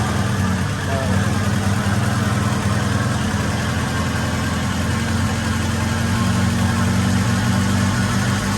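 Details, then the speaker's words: Acura Integra GSR DC2 B18C1 all-motor, new 170 thermostat fitted for cold lower radiator hose, just started and warming up, radiator still cold, air-fuel about 11.4 (rich, not lean): steady, even idle, smooth low hum, no knocks or misses. "Yeah, it's a little warm up, but at least it's rich and not lean, so that's a good thing."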